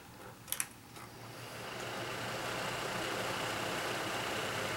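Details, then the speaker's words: Kaz V3100 evaporative humidifier after the fan was refitted; fast then slow speed, with light clicks and then a smooth, steady air rush with no rumble. Normal fan. The earlier low-speed rumble was traced to a broken fan-motor mounting post. "fast speed slow speed no rumbling so we had a false alarm there i guess"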